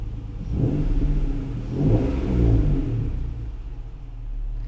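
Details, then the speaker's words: Acura/Honda NSX at 100k miles, just after service, with a prior no-start issue: engine swells up and down with an uneven, lumpy rumble, sounding like a slight misfire; owner suspects a fuel pressure issue, not confirmed. "right so that would mean maybe and it sounds like it's misfiring a little bit right"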